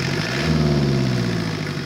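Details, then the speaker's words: Ford Escort/Tempo with Mazda diesel engine: steady low diesel clatter at idle with an even beat and no misses; normal idle. "gotta love a diesel alright that's the end of the saga of the Ford Escort tempo Mazda diesel"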